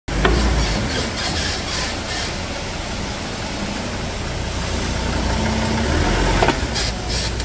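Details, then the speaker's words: Ford Ranger 3.2 with only 42,000 km: intermittent squeaky creaks over vehicle and road noise from the front suspension, traced to a burst shock absorber bushing. "Que barulho sinistro na suspensão dessa Ranger Pois é vamos fazer agora um diagnóstico aqui vamos ver da onde tá vindo esse barulho"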